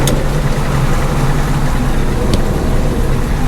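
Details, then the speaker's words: John Deere 8820 combine with separator engaged before harvest, after repairs: steady deep drone, even low hum, no knocks or rattles; owner judges it mechanically ready, normal running. "I can hear it running. That's good. I think mechanically, we are set to go."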